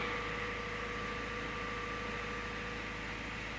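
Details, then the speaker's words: 2013 Subaru Impreza Limited wagon with an FB20 engine, just after an oil change. A quiet, steady idle hum with a constant faint whine and no knocks, misses or surging. Sounds good and healthy. "Now. Oh. She sounds so good."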